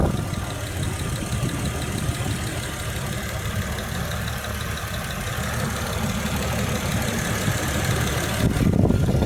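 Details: Jeep WJ with AMC 242 petrol six idling: light, fairly quick tick, roughly three or four a second, over the engine hum.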